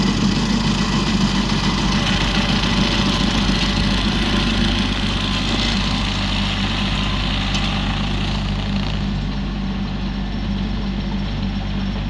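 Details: Used 2018 Woodland Mills WG24 3-point stump grinder on a tractor PTO (run below the rated 540), grinding a beech stump: steady heavy engine drone under constant load with even chewing rasp; cutting smoothly, working properly.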